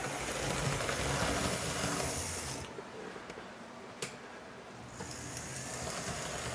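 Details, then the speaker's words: Athearn blue box C44-9W model locomotive with a Northwest Shortline motor, crossing switches: light, quick ticking about three times a second over a faint motor whir; coupling shaft disengaged, spinning without engaging the worm drive. "so when I was going across the the switches the this coupling shaft actually disengaged and it came that clicking was it just partially spinning around not engaging the worm drive that is the problem"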